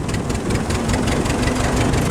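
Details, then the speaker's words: Ford 2N tractor driving across a windy field while running on three cylinders, likely the front one. Lumpy exhaust beat with dropped pulses and no power; the plug wire seems okay, and the owner suspects the spark plug or distributor cap. "p you're running on three Cinders that's a take the wire seems to be okay may plug distor cap"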